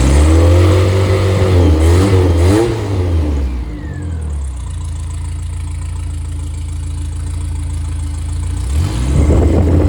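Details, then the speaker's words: Freshly rebuilt 1500 engine (called MG Midget/Triumph Spitfire), 270 cam, 9.5:1 compression, 195–205 psi compression, balanced rotating assembly: crisp rev dropping back to a steady, very smooth idle with no knocks or ticks. Normal revving. "It's a like it is very smooth."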